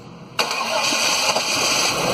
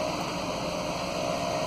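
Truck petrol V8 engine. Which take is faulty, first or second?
first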